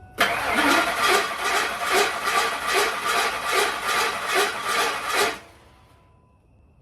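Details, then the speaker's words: Ford F150 10th generation with a newly installed replacement engine, cranking for about five seconds: rough, uneven whirring chatter at about two and a half beats a second, not from the front of the motor; flex plate or starter suspected. "It's making a peculiar noise in there. Sound like nothing up here nowhere on the front of the motor or anything. It doesn't sound like the motor itself. That sounds like a flex plate or starter."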